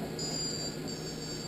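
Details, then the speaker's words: Multicopter ESC just reflashed with new firmware, receiver plugged in: two thin high beeps then a longer high tone, differing from before; normal ESC startup tones. "as you plug it up you will hear it has a different tone"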